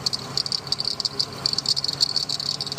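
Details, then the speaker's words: 2006 Ford E-450 6.8L CNG van at smooth idle, charging 14.1 V after broken negative cable found: quick sharp high-pitched chirps; belt or alternator bearing suspected, alternator failure later confirmed. "So you guys can hear that chirping sound. It could be the belt, or it could be a bearing down there."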